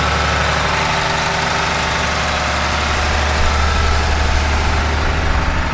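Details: John Deere 850J dozer diesel engine, re-rebuilt after a post-rebuild noise forced a second teardown, fluids topped off, run outside for a leak check: deep, even rumble at steady idle, no knocks, rattles or leaks; sounds normal.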